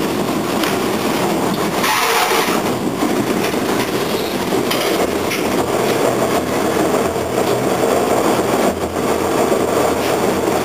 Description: TTC Bombardier T1 5106 Makes a thumping noise when it's moving at least 10 km/h